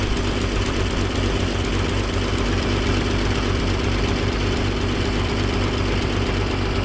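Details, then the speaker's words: 1957 Dodge D500 1.5-ton ex-military truck first started after years sitting, cold with choke on, carburetor frosting; rough puffing idle with harsh raspy chuff on every beat, a very large exhaust leak. "mother of all exhaust leaks"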